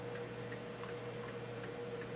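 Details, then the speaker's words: Mechanical clock movement ticking evenly about three times a second with no limp between tick and tock after the beat was adjusted by ear and bending; the clock is now in beat. "and now the clock sounds like it's in beat and so that takes care of that"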